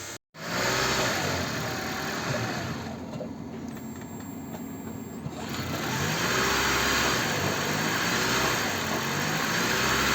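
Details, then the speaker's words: Toyota Prius (20/30) after replacing failed injectors and maintenance: engine starts softly and idles evenly, no rattle at startup and no more rattle between gearbox and engine, no misfire; runs without problems. "все ничего не тарахтит после всех процедур двигатель работает без проблем"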